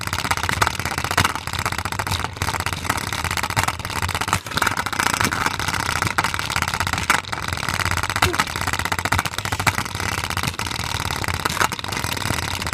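Repeated hard thumps roughly twice a second over a whirring spin; the load inside is out of balance and banging around.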